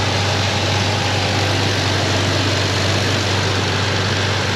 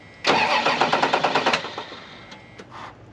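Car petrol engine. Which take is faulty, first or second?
second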